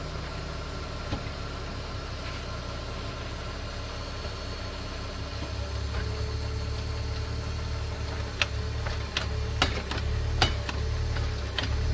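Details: BMW E46, rear differential area: low engine rumble then a run of sharp, irregular clunks; owner doubts it's the diff bushing, cause unknown.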